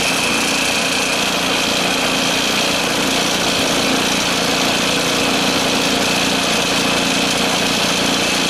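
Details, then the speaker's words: 13 hp Honda clone (Hyspec) engine mounted on a Case 1818 skid steer, belt-driving a Lucknow 48" snowblower, previously run and needing some choke: single-cylinder buzz at a constant high steady speed with no hunting, knocking or misfires; normal running. "I'll fire it up just so you can hear it running I had it running I may not need to choke it it's a 13 horse engine a Honda clone"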